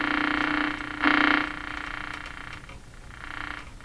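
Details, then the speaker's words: Philco Model 42-322 tube radio during alignment, tuned on the broadcast band with only one wire connected to ground as antenna: irregular croaking, warbling bursts over a hum; reception garbled, one wire not enough. "one wire not enough okay so of course one wire connected to ground yeah that's not going to work"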